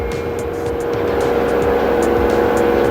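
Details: LG front-loader washer dryer after display PCB and touch panel replacement, final test spin reaching about 1370 rpm: steady, even motor hum at one pitch, no knocking or grinding; drum motor healthy.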